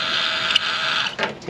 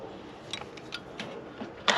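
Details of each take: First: Honda S2000 convertible top motor from a flooded car, bench-run: high, rough whir with gritty grinding that fades as it stops; motor is dying, while the replacement runs quiet. Convertible top motor grinding. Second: Replacement convertible top motor for a flooded Honda S2000, tested in place: a few faint clicks, then the motor whirs up smooth and even with no grinding, screaming or screeching; the top motor works properly.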